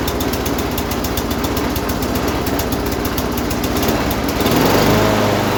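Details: Lawn mower engine swap, Briggs & Stratton Quantum auto-choke engine after tightening the loose carburetor bowl nut that leaked fuel: single-cylinder firing in a quick, even beat that steadies as it picks up; running normally.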